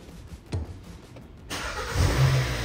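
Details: 2020 Hyundai Santa Fe with intermittent no-start and inoperative brake lamps, after repair with the brake switch now registering: quiet at first, then the engine catches cleanly at about 1.5 seconds and settles into a steady, even idle. Normal engine start.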